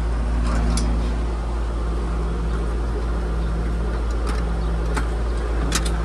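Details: Outdoor AC condenser on a system with a Nest thermostat and no C wire, running with the thermostat jumped out: steady low compressor hum and fan whoosh, running normally. The contactor had chattered earlier.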